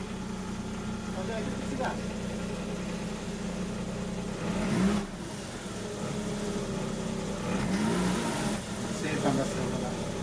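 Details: Mazda RX-8 rotary, first start after engine rebuild, with lambda and interior light issues noted: steady, even idle with a smooth low drone and no misses or knocks; normal idle.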